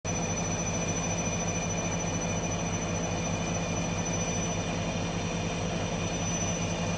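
A steady high-pitched whine rides over a pulsing low drum rumble; the washer is whining, but the cause isn't clear from this.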